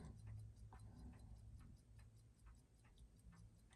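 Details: Seiko 4006 27-jewel JDM Bell-matic watch after service, about 60% down power reserve: quiet, even ticks about four per second, no knocking from overbanking; steady healthy timing.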